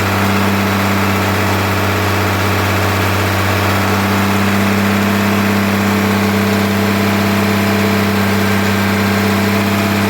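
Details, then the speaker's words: Diesel engine with a fueling issue, idling a few minutes after some adjustment: a steady idle with a slightly lumpy, uneven beat that doesn't settle flat, plus quite a bit of diesel visible; the fueling fault is suspected, not confirmed, and it may be sent off. "i can still hear that that bit of just not sitting flat again also we've got you know shouldn't be running a few minutes and quite a bit of diesel there"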